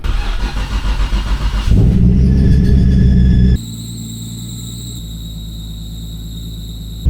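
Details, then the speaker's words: Nissan Skyline GT-R during power steering fluid leak repair: engine catches and idles with thin steady high squeal, belt later found wrapped around the fan. "But that's all right, with it cut off, hopefully that's the belt [music] that was squealing and we can see if the oil leak's finally gone."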